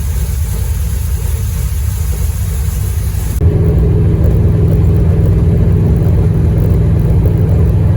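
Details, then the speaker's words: Dodge Dart, new 403 stroker V8 with Hedman ceramic headers and Flowmaster FX muffler, first fire-up with awesome oil pressure: deep, even exhaust rumble rising cleanly with revs, no misfires or knocks. Normal running; later ran flawlessly over 47 break-in miles. "It's alive! And we got awesome oil pressure. pressure. And listen to that exhaust. Hell yeah!"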